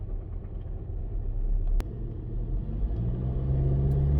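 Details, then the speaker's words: Engine knock that comes in on re-acceleration after starting out fine, with a deep low rumble climbing with speed under load and sluggish pull; engine dogs down. Exhaust cam position codes set; owner suggests stretched timing chains possible; bottom-end bearing knock. "and the motors Definitely dog down yeah hear it okay let me get this thing back to the shop and then we'll finish this video so yeah yeah this thing's this thing's done"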